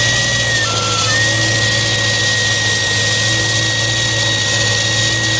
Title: gnarly vacuum leak. !!super loud!! watch your ears